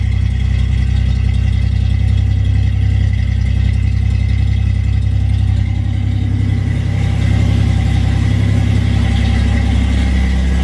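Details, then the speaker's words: 1966 Ford Mustang inline-6 at idle with new custom exhaust: downpipes, Flowmaster mufflers, header locking hardware not yet fully installed. Deep, steady burble and even low rumble with no ticks or leaks; healthy exhaust note. "but for now we'll crank it up see what it sounds like oh that thing sounds nice"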